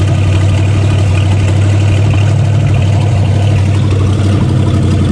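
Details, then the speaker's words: 1969 Plymouth Fury 400 big-block V8 first start after oil pan replacement, in park, battery charged: deep even burble with steady low pulse, no ticking or knocking; normal idle. "He's alive. Had to charge up the battery."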